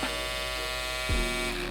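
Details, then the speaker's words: Andis cordless Outliner trimmer after one year: steady buzzing hum suddenly drops in pitch about a second in and loses its edge; motor losing power and cutting out repeatedly during use, a broken-motor fault. "look I'm not doing none I'll just be using it and the power will cut off"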